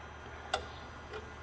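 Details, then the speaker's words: Dodge Sprinter van limited to 40 mph with power loss, idling while the EGR valve is commanded on and off; a sharp click then a softer second click; wiring is good, valve may be sticking or carbon-clogged. EGR valve clicking. "okay so the way this valve is making noise it sounds like it could be sticking we might have to remove it so we can look at the plunger on the valve as we're commanding it on and off to see if it's actually moving smoothly"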